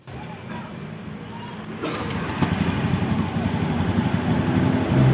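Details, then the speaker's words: Honda Beat ESP FI scooter, fuel pump pressure checked good, TPS shifted, CKP checked, spark plug cap bypassed with no change: uneven, stumbling exhaust beat with skipped pops about four a second, louder with revs; misfire persists, cause not found. "ya Ternyata ini masih sama ya teman-teman berarti tutup busi ini tidak ada masalah ini masih brebet knalpotnya ya"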